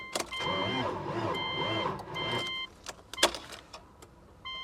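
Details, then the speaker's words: Salvage-auction Dodge Dakota Sport on a booster pack: starter whirs in slow, uneven surges with chime tones over it and never catches; owner suspects the engine is seized, not confirmed. Labored cranking, no start. "Ooh, that sounds real bad. And it's not my booster pack. My booster pack has got juice."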